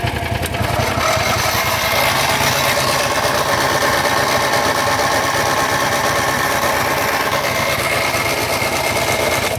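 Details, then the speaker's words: John Deere GT225 lawn tractor, battery low, charging from a Landmaster about 5 minutes, idle not adjusted: steady fast churning for ten seconds without catching or speeding up; cranks but won't start, cause unknown. "Why are you not starting, you piece of junk? Oh my God. This thing don't start, I really don't care anymore. Never been this bad."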